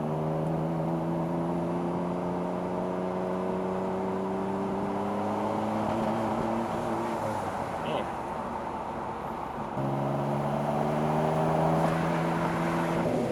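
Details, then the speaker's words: 1995 Mitsubishi 3000GT VR-4 Spyder, 13,000 miles, coolant temperature good, fourth gear on the highway to 60: strong pull, tone climbing smoothly over road and wind noise; normal turbo acceleration. "Let's go to 60 if slips. [Music] Turbo does what it's supposed to do."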